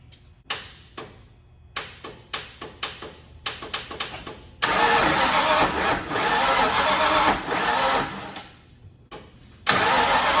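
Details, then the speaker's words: 1991 Mustang 5.0 LX with stock high-mileage shortblock, F-303 cam and new Vortech V1, on a temporary hose-clamped fuel line: starter chugs in bursts, catches briefly but won't run; owner suspects too much timing and a weak battery. "sounds like it might have a little bit too much time in there battery don't sound great either that technically sound like it's firing"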